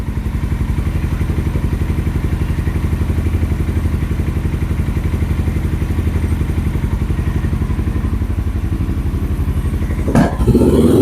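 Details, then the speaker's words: 2007 Suzuki GS500F twin, first longer run after sitting, tank low on reserve, cold on choke: steady, even idle pulsing about three times a second, slightly raised and lumpy while warming up; normal warm-up idle, runs fine. "When it warms up, the you know the the engine will rev up along with it, letting you know that it's ready to turn the choke off."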